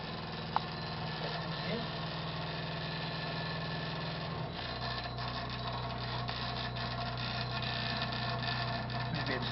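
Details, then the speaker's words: Rattling noise under a hotel sink: low, steady growling drone that drops in pitch about halfway through, likened to an animal; source not identified. "it's that thing. Wow. Sounds like an animal under there. Like a big bad wolf."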